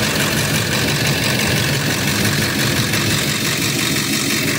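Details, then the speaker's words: 1997-2004 Ford F-150 V8 (code P1131, multiple cylinder misfires) idling slightly uneven and stumbling; cylinder 3 recovered but cylinder 4 still misfiring, its injector plug found loose. "mira ahí levantó el tres muchachos sigue fallando el cuatro"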